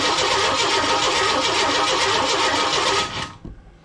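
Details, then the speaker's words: 1998 Chevy work truck with a crank no start, new crank position sensor installed and tested good; starter spins the engine evenly for three seconds with no firing; still no spark, ignition system fault still being traced. "All right, so still getting no spark. I guess the search continues."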